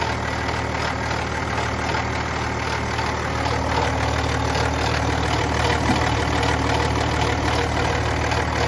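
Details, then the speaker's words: BMW X5 4.0 diesel six-cylinder (N57) idling with a busy, uneven metallic rattle over the diesel clatter, a worn timing chain that grew very loud on a long drive. "aracın zincir sesi özellikle aşırı derecede gelmeye başlamış bunları sizlere göstermeye çalıştık"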